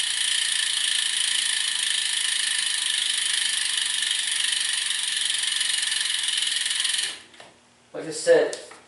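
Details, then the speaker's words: Brand-name Mavic road bike wheel spun by hand: fast, even buzz of freehub ratchet clicks while coasting, stopping cleanly; pawls sound normal and fairly quiet. "now i'm gonna show how it sounds when you spin the wheel and you hear that loud clicking noise with the chinese carbon clinchers that i'm talking about so look at this so that's really loud"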